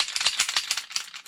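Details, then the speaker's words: Girsan Match 2311 budget 2011 pistol compared by hand with an MPA DS9: quick, bright clicking rattle, about six or seven clacks a second, as the gun is shaken; looser, mass-produced slide-to-frame fit. "And then, like, you can for sure hear and feel a difference. So, like, that's part of what you're paying for. Like, the gun is going to be a little bit looser because they're mass producing the parts faster, and they want them to all go together."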